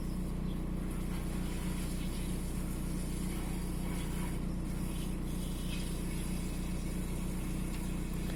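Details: VW 1.9 TDI AXR diesel shaking at idle with a slightly uneven, lumpy beat of about three pulses a second against a steady drone; fault code 16688/P0304 intermittent cylinder 4 misfire, cylinder 4 deviation 2.99 mg.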